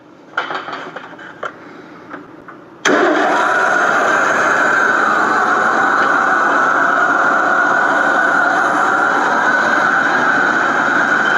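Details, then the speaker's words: 1989 Ford F250, first run in years after reconnecting a knocked-off coil wire: brief crank, catches cleanly about three seconds in, and settles into a steady even run with no misses or knocks. "Fired right off. Okay, I don't believe that. Didn't expect that at all. Didn't even sound that bad."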